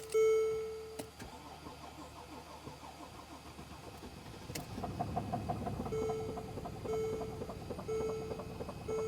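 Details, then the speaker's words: 2014 Mercedes GL350 3.0 L diesel, crank-no-start complaint, timing chains previously replaced (timing questioned): warning chimes during cranking, then engine catches and runs heavy, uneven and sluggish instead of settling to a clean idle; cause unconfirmed. "Okay, it seems to be running now, but very sluggishly."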